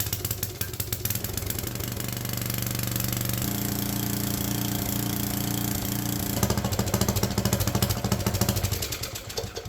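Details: Troy-Bilt Super Bronco tiller's single-cylinder engine at first start after fuel line work, on part throttle and full choke. It putters evenly at about 160 beats a minute and steadies as the choke eases; running normally.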